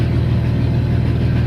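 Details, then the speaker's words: Ford Falcon ED turbo, idling after replacing a bad hose with proper 6 mm EFI fuel line: steady low idle, pump barely audible with no whine or buzz; normal fuel pump noise, though pump later failed again. "you can only just hear the pump so there you go fuel pump's back out"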